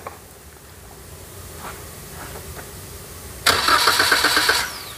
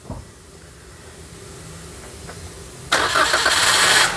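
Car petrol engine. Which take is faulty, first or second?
first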